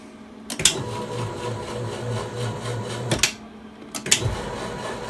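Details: Drill press stepper motor drive after tightening loose grub screws on the shaft: even buzzing hum with steady pulsing and a few clicks at start and stop; drive turns smoothly without slipping.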